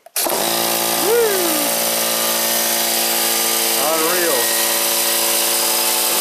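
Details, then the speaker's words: Harbor Freight 125 psi compressor with two parallel run capacitors replacing 140MFD original, restarting against about 20 psi tank pressure: motor kicks in instantly, pulls to steady loud hum with pump rattle, no stalling or groaning; normal start. "So this is actually a good test because I got some pressure in there. Let's see if it starts with some pressure in the tank."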